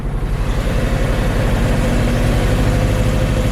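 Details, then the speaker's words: 2014 Mazda CX-5 2.0L, about 140,000 miles, after in-gear brake-held revving: idles roughly with a lumpy beat, a dead misfire about four times a second, no check engine light or codes. "doing that a couple times I actually just got lucky and it's misfiring at idle right now dead mess I'm very surprised the engine light's not on"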